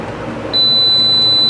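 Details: Voyager 600W on-grid solar micro-inverter, after being briefly connected with reversed cables, gives one steady high-pitched beep on power-up, warning it is in protection mode and not injecting to grid; cause still under investigation.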